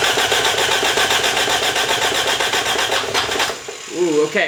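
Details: Engine cranks fast and evenly, starter spinning it steadily, but no cylinder catches and it won't start; owner suspects ignition timing is out.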